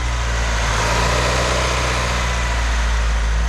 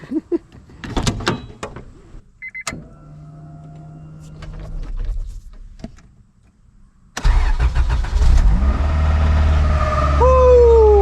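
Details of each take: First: 1998 Acura Integra engine idling smoothly with steady low hum after loosening an overtightened timing belt tensioner; timing-belt-area whine gone. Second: 1998 Acura Integra petrol engine started after timing belt work: steady whine over the idle from the timing belt area; owner suspects the timing belt was overtightened and plans to loosen the tensioner.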